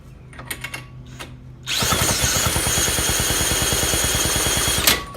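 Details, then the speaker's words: 1916–1918 Maytag 1/2 hp engine, first run in about three years: it barks into a fast, steady popping run for about three seconds, then cuts out. It flooded with fuel gushing out because the fuel setting had been closed right off. "Okay, well that's too much fuel. Gushing out of there. Just puking out. It's because I had it closed right off. So now it's totally flooded."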